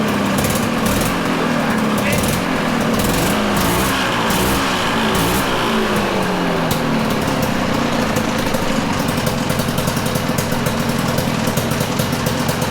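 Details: Citation two-stroke snowmobile, air box may be replaced and fine-tuned later: loud, busy crackle holding a steady rev with small pitch swings; runs on its own.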